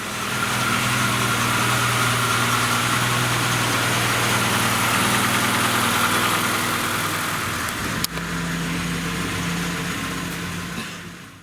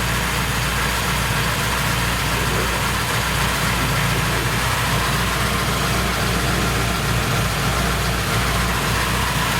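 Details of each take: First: Petrol engine with a January 7.2 ECU, after valve adjustment and timing chain tensioner replacement, with no stored faults: it idles smoothly and evenly, with no ticking or knocking from the valvetrain or chain. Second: Petrol engine with Январь 7.2 ECU, no stored fault codes, warm at 82 °C, idling: busy metallic chatter over the hum; timing chain sometimes rattles; owner reports poor idle before warm-up; valve adjustment planned.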